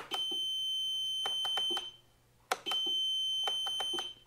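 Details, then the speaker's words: Piaggio MP3 400 scooter, suspension lock warning beeper sounding: steady high beep with sharp irregular relay clicks, pause, repeat, as the relay strains to drive the seized suspension lock geared motor; dashboard dims at each attempt. "od razu słychać przekaźnik który próbuje włączyć nam motoreduktor"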